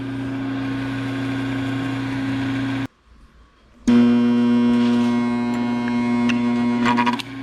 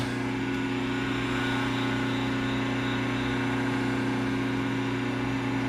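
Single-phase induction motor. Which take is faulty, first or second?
second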